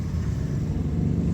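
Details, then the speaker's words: Honda City, 2022 or 2023 model, manual, after fixing a crank-but-no-start fault, engine now started: low, steady idle hum without stumbling or cutting out; normal idle. "अब इसको self लगा रहे हैं ये गाड़ी start हो गई"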